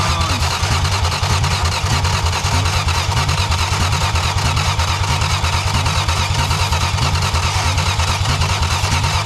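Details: 1962 Plymouth Valiant slant six, automatic, after months of no-start: finally running, with the throttle wide open, a loud, fast, ragged pulsing held high with no drop-off; engine racing at wide-open throttle.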